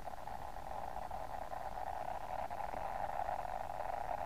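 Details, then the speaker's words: uSDR QCX-to-SSB 8-band HF QRP SDR transceiver: steady raspy mid-pitched hiss-hum from the speaker even with volume turned down, not muting; owner suspects a power supply fault. "the audio is too loud and you can't really turn it down and when it's down it's not even muting the speaker it's this horrible noise"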